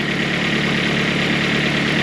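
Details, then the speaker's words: Freshly built boosted G23BK engine idling cold on first start, a fast, hollow knocking over the exhaust drone: piston slap that goes away once the engine reaches normal temperature. "you guys hear that knocking noise that's the Piston slap once the engine uh goes to normal temperature it goes away"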